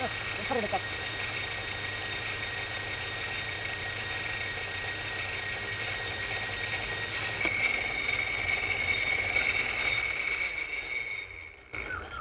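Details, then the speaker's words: Project lathe running with its newly made back gear after bushings were fitted: a steady high whine with light gear chatter, dying away as it stops; noisy mesh, which the owner says is quiet if mesh depth is right. "other than it being a little bit noisy don't mind that New Gear if you get the depth thing just right on the gears it's actually relatively quiet"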